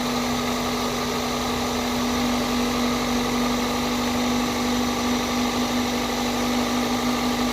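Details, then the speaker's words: 2002 Toyota Corolla after new coil packs, spark plugs and a cold air intake, warmed up and revved a few times: a smooth, steady petrol idle with no hunting, misfire or knock, clearing up and quieter now. "it sounds good when I rev it know give it a a a throttle twisty it sounds good it's clearing up now it's not as loud"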